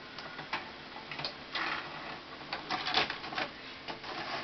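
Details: 2005 Symphonic VCR/DVD combo eating tape: uneven dry ticks and clicks, several per second, from the tape transport as it chews tape; something in the mechanism seems to be slipping.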